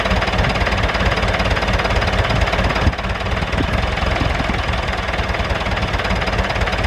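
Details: David Brown 996 diesel tractor, left sitting about 10 years, just started: steady clatter at a settled idle, even beat with no misses or hunting; normal idle.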